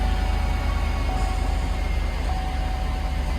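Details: High-mileage GMC/Chevy GMT800 Z71 4x4 truck, 269,000 miles, at an impound auction: steady, even low rumble at idle with no knocks, misses or squeals. Normal idle.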